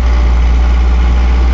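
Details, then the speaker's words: Mercedes 240D diesel with white smoke, no load: steady, even clatter sitting noticeably fast at idle and not settling lower, as low as it will idle; high idle. "that's about lowest sh idle so idle about she idles down about like that she idles down about like that and uh as far as low as I can get her the"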